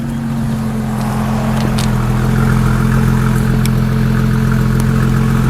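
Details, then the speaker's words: 2001 Ford Mustang 3.8 V6 with a sputtering misfire, heard at the tailpipe. Idle is even and steady with no stumble. It has a new EGR valve, wires and plugs, and an old coil pack that tested consistent. Normal idle. "So, the engine sounds okay to me. It's the way I got it. Sounds okay on idle. Totally fine."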